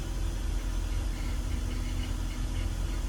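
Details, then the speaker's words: BMW E46 petrol six idling with steady low hum and constant faint whirring tone after CCV vacuum-leak repair and coil pack swap fixed misfires; idler pulley suspected as the noise source, replacement planned. "that noise is The Idler or pulley we're going to have to get a new one cuz it just makes a lot of noise"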